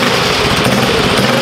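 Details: Custom drag mini bike, freshly built Stage 4 Tillotson engine on break-in start: small single cylinder barking loud and fast with a crisp, even exhaust beat, no knocks or misses; normal running.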